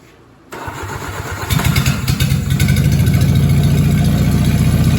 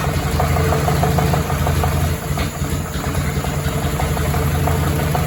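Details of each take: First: Willys flathead Jeep engine after replacing crank bearings with used 40-over bearings: starts and settles into even steady low beat about four per second, no knock; fuel pump found leaking gas into oil pan. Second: Willys flathead Jeep engine rebuilt from used parts, first start after new valve and valve adjustment: idle with steady low rhythmic bottom-end rattle under exhaust beat, metal found; spun crankshaft bearings.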